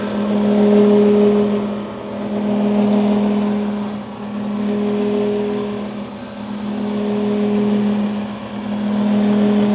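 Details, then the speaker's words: Grizzly G310 milling machine spindle running at 2220 rpm hums steadily with loudness swelling and fading in a slow regular pulse; pulsating noise gets louder at higher rpm. "i'm hoping you guys can hear this pulsating effect that's going on when i turn this on um and like i said when you go faster in rpms it just sounds louder and everything else"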